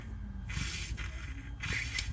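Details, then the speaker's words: Mercedes Airmatic suspension (DTC 5505, 5507; sags low, pump always running): short bursts of airy hiss as the deflated right rear air bag is squeezed by hand, air escaping through a leak in the bag. "the right hand rear bag is leaking deflated right now in the bag so I can squeeze it and you can hear"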